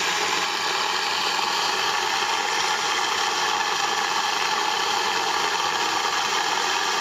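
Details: Moulins d'Alma individual stone mill grinding grain for wholemeal flour after sieving out straw particles: even steady gritty rush of stones, no knocks or catches; normal grain milling.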